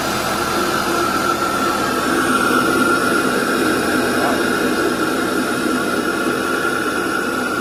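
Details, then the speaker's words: 2015 Audi A4 Allroad B8.5 turbo, cold start just after a CTS intake install: turbo spool heard, then steady even idle with a faint high turbo whistle, no rattle or knock; normal idle after cold start. "Uh, that was a cold start. That's why you can hear the turbo spool up. But now it's idled down and no rattling."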